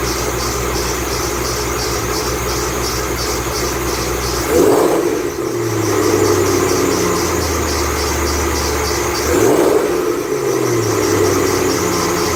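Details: 2008 Ford Mustang Bullitt, 8-rib serpentine belt squealing the morning after sitting overnight in the garage, under 30 miles driven: thin high chirping squeal over steady engine run, swelling as revs are blipped twice.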